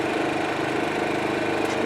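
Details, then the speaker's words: New Champion 1850 watt suitcase inverter generator, first run on gasoline, eco mode with a fan plugged in: even, steady low-revving idle hum, no misses, knocks or surging, never leaving eco idle; normal. "generator is running in the eco mode, which means it comes down to an idle until it is demanding full power, and it never even came off of the eco mode plugging that fan in."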